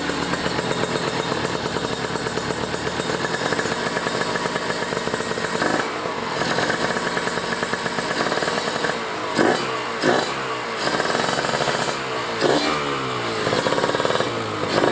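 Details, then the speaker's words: Kawasaki Ninja 150RR two-stroke fitted with a booster/ground cable, after re-setting the carburettor jets and needle: a crackly, uneven low-rpm burble between throttle blips with no lean ringing. The bottom end is deliberately set rich. "Jadi suaranya udah apa ya? Udah gerebet-gerebet bawahnya ya. Udah gerebet-gerebet gimana ya namanya ya? Gerebet 2 tak ya."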